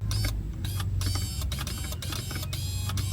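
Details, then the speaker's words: Subaru Forester XT: power window motor from a parts car bench-tested, loosely plugged in, before mounting; steady low hum with light even whir, motor works. "don't know if you hear that, but it's working. All right. So, that was the issue."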